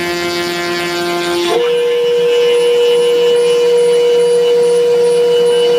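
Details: Cheap Chinese 500 W spindle running a dull bit in MDF: a steady, clean whine that settles at one pitch with no grinding, much quieter than a 600 W router. The owner hears slight vibration and blames the dirty, caked Delrin nut. Normal spindle running.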